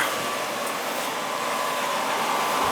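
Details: Tjernlund power venter on an oil boiler, after fitting a new vacuum switch kit and tube: a steady even blower whoosh with a faint whine near 1 kHz and no rattle or surging; the venter runs normally.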